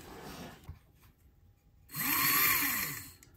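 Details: Repaired classic model steam locomotive on test: quiet start, then a smooth whirring motor note rises and falls evenly over about a second; the motor runs cleanly.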